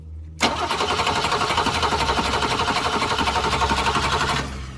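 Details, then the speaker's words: 1966 Ford Mustang, 200 straight six, stalled and died on the driveway; spark and fuel to carburetor confirmed: steady cranking about four beats a second for four seconds, no firing; owner suspects the old Holley carburetor. "Doesn't want to start yet. Well, now what? We know we got gas coming here through the filter into the carburetor. We know we got spark. I'm inclined to think that this carburetor, this old Holly, is not working correctly."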